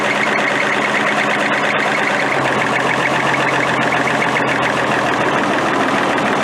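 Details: Military Deuce 'n a Half diesel truck running after an ether start, with fuel delivery problems and a suspected air leak: steady, even clatter at constant pitch, no misfires; runs properly.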